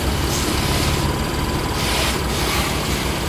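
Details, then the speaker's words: BMW M3 F80 after the front suspension clicking fix, with the pinch bolt replaced using anti-seize and torqued: the engine idles while the wheels are turned, with no clicking, creaking or squeaking from the front suspension. "look at this ladies and gentlemen no squeaky noise no clicking noise nothing oh yes yay and we are done"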